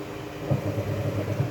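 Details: Washing machine after repair for unclean washing and loud clunking and dust during spin-dry: steady low hum of drum spinning, only soft occasional thumps, no loud banging; spin sounds normal.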